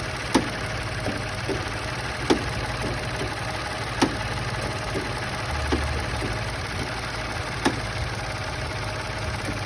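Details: Engine at idle with a sharp clunk about every two seconds, out of step with the engine beat. The noise comes from a loose engine mount.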